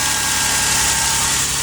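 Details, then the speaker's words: 2003 Toyota Sienna just after new catalytic converters were installed, previously extremely loud: a steady, even, quiet idle hum with a smooth hiss, no ticking or puffing, and no exhaust leaks. Normal idle. "Oh my goodness, that's quiet. Wow. Before you could crank it up and it was so loud you couldn't hear yourself think."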